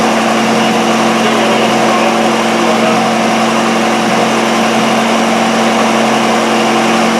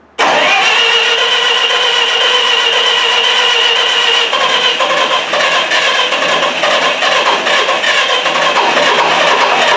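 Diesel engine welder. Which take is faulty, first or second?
second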